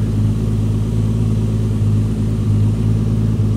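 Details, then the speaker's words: Rebuilt engine's first start: low, steady rumble around 1000 rpm with no knocks, misses or rattles; sounds good, starts first try; normal idle. "Det lyder fandme godt, dog. Den lyd, den her har ventet på længe nu. Det ved jeg, du har. Alting fungerer bare. Sådan skal der være."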